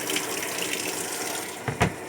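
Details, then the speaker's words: Sharp ES-F69 top-load washer set to 6-minute spin on Normal, won't spin-dry: steady rushing hiss of water filling with no drum spin-up; refills instead of spinning, lid switch and drain checked normal, program fault suspected. "แล้วก็อาการที่เห็นนะครับน้ำจะเข้าอีกรอบนะครับประมาณนี้แะครับน้ำเข้าอีกรอบแล้ว"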